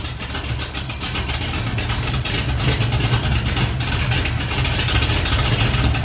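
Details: 1986 Ford F150, freshly rebuilt 1996 Explorer 5.0L roller V8 with GT40P heads, E-303 cam, long tube headers, Edelbrock carb, HEI: strong even rumble building smoothly as revs climb, no ticking or knocking; healthy after build.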